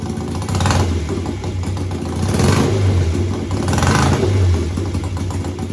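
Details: BSA twin-cylinder chopper, home built, revved at standstill with the throttle slides lifted one at a time and then together. Repeated clean, even swells with no stumble: both cylinders fire normally, so the cutting out isn't found this way.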